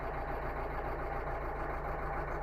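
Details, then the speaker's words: 2012 Renault Megane 3 1.5 diesel at idle with check-engine light and code P0202 (cylinder 2 injector control, invalid signal): lumpy, uneven low beat instead of smooth running, cylinder dropping out; cylinder 2 misfire. "так проблема У нас з другим циліндром то есть вона троїть то жалоба на те що вона троїть і висвічується куча помилок"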